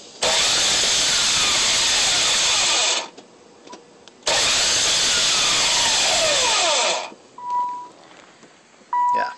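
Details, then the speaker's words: Nissan Z32 no start, phone held under the car: two three-second bursts of loud high whirring with no engine rotation; starter spins without engaging, owner unsure whether starter or flywheel. "sounds like the uh the starter turns but it doesn't um the car doesn't crank over engine doesn't crank over so um would you guys know if that's a starter problem flywheel or something"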